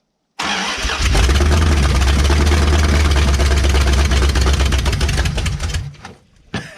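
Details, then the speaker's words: Abandoned 1968 Dodge Charger, first run in almost 30 years, fed on brake cleaner with no cooling system fitted and timing possibly off: it cranks briefly, then settles into a strong, even idle rumble with no knocks; normal start. "she runs that sounded pretty good too that sounded really good wow for 30 almost 30 years"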